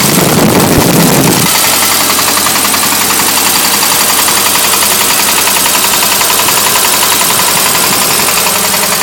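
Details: VW 1600cc air-cooled engine that overheated idles with a steady deep rod knock, about four a second, quickening when revved.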